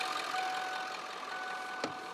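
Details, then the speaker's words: 1996 Ford F250 7.3 Power Stroke after fixing a no-start (low control pressure after a lift pump install, caused by two touching wires shorting to the PCM, repaired with a new connector): even, steady idle with light clatter, no misses; running well. "the vehicle started and it's running really good"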